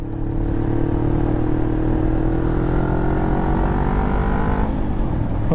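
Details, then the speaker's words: 2007 Kawasaki Ninja 500R twin, first ride after carb cleaning with new needles, on tires he doesn't trust: engine pulls cleanly, pitch rising smoothly with no stumbles, shifts smooth; normal acceleration. "oh she sounds good shift and smooth brakes are working good sounds happy"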